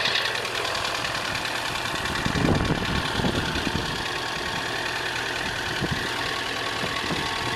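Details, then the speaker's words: Idling engine with a dull, uneven knock deep in the block, about three beats a second; bottom end knocking noise, cause suspected, not confirmed; started with a booster pack, clean engine bay. "It will start, but this has got a bottom end knocking noise, and if I can prop you up somewhere, I will start it up and show you what it sounds like."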